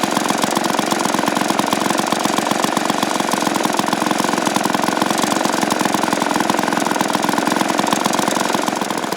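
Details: Vintage 1953 ATCO lawnmower engine running after cleaning and servicing; brisk, even firing about three to four beats a second, no misses or knocks: normal running.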